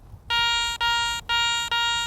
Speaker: I've got a high tone and a clean sound now that iron audio can come into play on checking targets like this that have some iron content in them